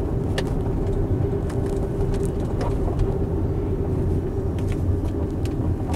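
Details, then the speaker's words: 2016 Tesla Model X on a rough winding road, heard from the cabin: irregular faint sharp ticks and creaks over steady road rumble; cabin squeaks and rattles, likely loose interior trim, cause not confirmed. "all right winding down these roads more streaks more rattles i'll shut up so you can actually hear that"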